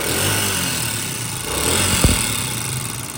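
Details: Honda CD70 motorcycle single-cylinder at fast idle: light, rapid ticking over the exhaust beat from loose valve clearances; fixed by tappet adjustment.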